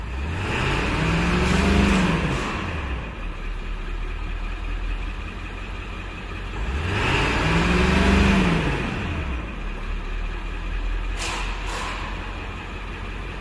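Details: 1999 Ford F-250 7.3 Power Stroke diesel after repairs, about 10 minutes running, injection pressure 540-550: deep rumble swings up and back in two clean throttle blips, no misfire or knock; later test drive fine with no codes.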